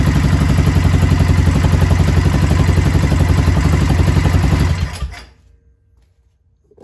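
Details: Polaris Ranger RZR Ace 570 (ProStar engine) after Hot Cams upgraded timing chain tensioner install: steady even single-cylinder idle about four pulses a second, no tapping or chain rattle, then clean shutdown; healthy.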